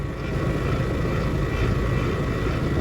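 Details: Outdoor AC condensing unit on a New York service call, heard outside while the tech checks pressures; vents blow cold. A deep steady rumble and hum sits under the fan noise, with the compressor sounding loud and rough. Noisy AC compressor.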